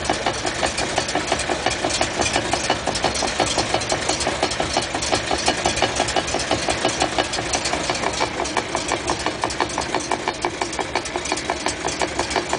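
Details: 1956 Chrysler New Yorker on stands, recorded at the trunnion side and then the rear axle side: a steady, rapid knocking, about three a second, over a smooth idle. Cause unclear.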